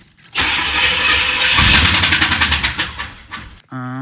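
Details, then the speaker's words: 1986 Corvette C4 L98 TPI V8 with rebuilt engine, about 132,000 miles, battery 12.1 V: fast cranking about three seconds ending in a sharp pop; backfire while cranking, owner suspects a spark plug left unconnected. "that backfired. Let me see. I might have left a a spark plug open or something."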